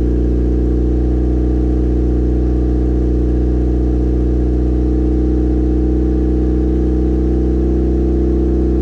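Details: Built turbo 1.6 Mazda Miata after maintenance, idling while warming up: steady, even low drone with no knocks, misses or surging; normal idle.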